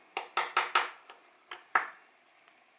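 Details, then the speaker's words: Seiko 6119 watch from a botched earlier repair: light, dull clicky taps on the crystal, lacking the sharp ring of glass, showing a plastic crystal was fitted instead of the correct glass one. "Hear that? That's plastic. So what this idiot has done is, instead of getting the correct glass crystal, they've stuck a plastic one in there."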